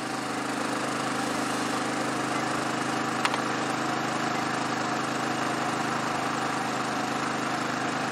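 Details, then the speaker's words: Generac IQ3500 3500 W inverter generator running a 1500 W heater: steady even drone holding one speed with a single brief click, stabilized; normal running under load. "we go it looks like it's fairly stabilized now that's what we're running and watch for this particular heater"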